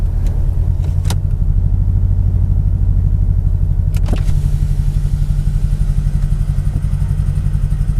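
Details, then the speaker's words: Mercedes-Benz E55 AMG W210 with Kleemann 55-K2 supercharger fitted: heavy, lumpy V8 idle, uneven beat and engine shaking, limp mode; multi-cylinder misfire, owner suspected MAF sensor, later traced to Bosch F5DC spark plugs. "can even hear it actually yeah that's not running right at all"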